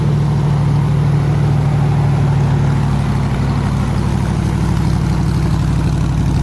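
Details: 302 V8 powering an air compressor, after the troublesome HEI distributor was swapped back to the old points distributor and the carburetor rebuilt: strong, smooth, even idle with a steady low beat, no misses or knocks; running healthy.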